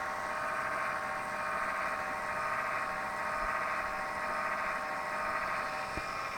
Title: Strange noise Zalman PSU